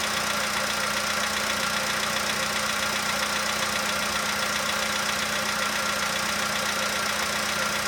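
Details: 2015 VW Polo sedan cold start, outside −2.5°C: steady tick about 2.5 per second over mid-pitched idle, fading as it warms; owner suspects cold valve or hydraulic lifter, unconfirmed.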